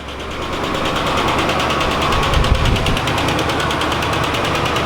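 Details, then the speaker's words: 1986 Oldsmobile Cutlass, saved from a junkyard, first start after sitting 6–8 months with a new battery. It fires quickly into a rough idle with a loud, fast lifter tick from the valvetrain. "let's see if it fires up a stall it fired up pretty fairly quick sure has a loud lifter"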